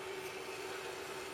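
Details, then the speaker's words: PC water-cooling loop (DDC Ultra pump, Bitspower mini tank reservoir) just filled and still bleeding: steady mid-pitched hum with gurgly hiss, pump noisy from pumping trapped air through the loop. "you can hear the noisy pump there that literally is just pumping air through"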